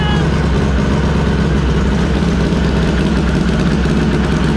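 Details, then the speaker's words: SHO'NUFF race car, completely cold, just started from a laptop via a hardwired PDM and FuelTech, air-fuel reading 12: a loud, lumpy, uneven low beat with no clean rhythm. Misfire, with the owner wondering if an injector is stuck. "on the fuel i almost wonder if one of our injectors is stuck how much fuel's in here yeah just sounds like a misfire in here"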